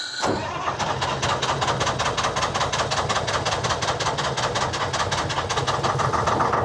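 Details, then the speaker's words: Telehandler with Detroit 3-53 two-stroke diesel held running on hand throttle: labouring, ragged uneven beat; won't idle, struggling mostly from the secondary fuel filter. "Man, it's really struggling. I think that's mostly that secondary, but that should be primed."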